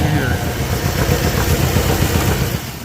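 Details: 2004 Chevy Tahoe idling with a deep, uneven low knock of roughly four beats a second. The owner suspects a broken flexplate, with rod knock also considered; cause not pinned down.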